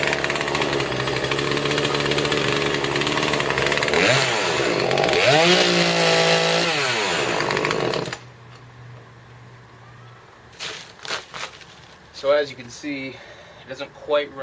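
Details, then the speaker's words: Old Poulan 3314 chainsaw after repair and new bar and chain, mixture being adjusted while cutting: screams at full throttle, then flutters and warbles unevenly mid-cut in the high rpm range; four-stroking, high-speed mixture a little too rich. "you could hear it fluttering a little bit the high rpm range around mid cut I think I just need to I think it's actually a little bit too rich"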